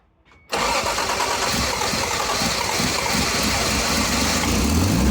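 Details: Car after a cracked exhaust pipe was repaired with a JB Weld wrap kit: quick start into a steady even idle with a smooth exhaust note, no puffing or ticking; the exhaust sounds healthy.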